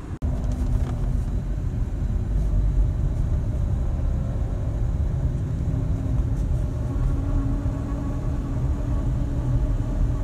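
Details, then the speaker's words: Hyundai ix35 driving at steady speed: a low hum from the front under heavy road rumble. The hum persists after the wheel hub bearings were replaced, and the cause is unknown. "ну вот как вы видели звук никуда не ушел подшипники поменяны звук остался в чем причина я понять не могу"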